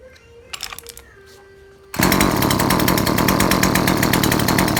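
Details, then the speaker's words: Neighbour's chainsaw, fairly new so a failed carburettor is thought unlikely, tested with the spark plug from an old saw: after a pause it fires and holds a steady buzzy run without climbing; it still bogs and won't rev up. "ยังเร่งไม่ขึ้นครับมันมืดมืดยังไงแปลกๆครับ"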